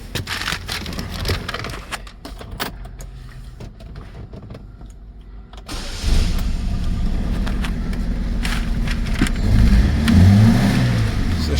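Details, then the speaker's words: 2009 Saturn Aura 2.4 Ecotec after the crank-no-start repair: starts and idles lumpy and uneven, shaking, with a misfire because one injector was left unplugged, a dead cylinder. "So as you can hear, she is running. Sounds like it's definitely got a misfire."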